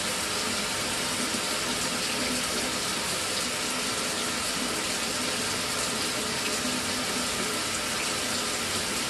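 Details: Mira (Zora) shower after replacing the faulty solenoid valve that made flow stop and start intermittently a few minutes after switch-on: steady, even rush of water with no breaks, surges or sputters; normal flow after repair.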